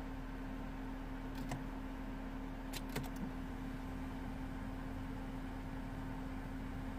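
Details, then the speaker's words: 2012 Peugeot 208 with a replacement engine, after clearing fault codes: a steady, even radiator-fan drone with light clicks and the engine not running. The fans stay at full speed because an air-conditioning pressure signal reads too low or implausible, with the AC system empty; the ESP and engine lights had been on. "we have an issue with that uh okay I still have the fans running full speed which is not very good"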